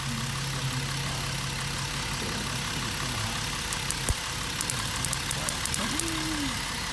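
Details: 2011 Jeep Wrangler 3.8L with P0300/P0305 misfire codes, idling: sharp irregular snapping ticks as spark arcs from the number 5 plug wire (6 also arcing); repaired by replacing the spark plug wires.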